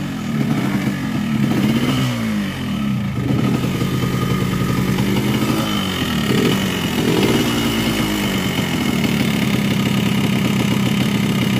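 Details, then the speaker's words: Yamaha RX King two-stroke, recently bought, block freshly bored a week ago: idles and blips with a harsh, clattery rasp; owner suspects the connecting rod and crank; finding is rough running from over-advanced ignition timing. "Kali ini saya bongkar lagi mesin RS King yang minggu lalu ini bloknya kita baru polter tapi suaranya masih tetap kasar seperti ini."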